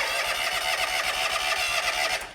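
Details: John Deere X300 series lawn tractor, crank no-start: starter spins the engine steadily but it never fires; spark checks show none on both left and right sides, blamed on a failed electronic ignition control box (ECU).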